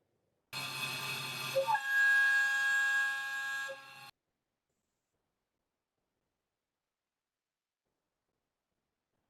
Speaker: and so we hear this self-excited vibration that we call chatter that's the sound that you hear and in fact that sound is related to those natural frequencies that belong to that tool holder spindle system